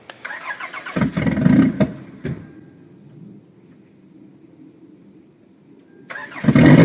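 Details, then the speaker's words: 1992-1996 Toyota Camry derby car before fitting a standalone wiring harness: the engine catches briefly with a rough burst, falls to near silence, then fires again. Hard starting with white smoke, dying 3-4 times; with the harness it fires right away. "I don't know if you guys remember, but if you check out the very first video of this Toyota Camry that I started, it had a very hard time starting. It put out a lot of white smoke. It would repeatedly die 3 or 4 times when I wanted to start it."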